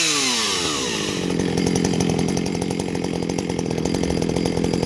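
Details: Jonsereds 451EV two-stroke chainsaw after carb cleaning and adjustment, winding up from a low start to a crisp, steady high rev with a clean even note; chain oiler works; normal running, seems strong.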